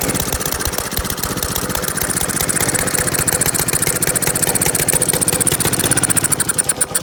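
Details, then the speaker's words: Honda GC 190cc single-cylinder engine running again after hydrolock damage, with a homemade key cut from pennies. Fast, even chatter at a steady speed with no misses or knocks; it starts and runs normally. "hey guys guess what i got it running it actually starts"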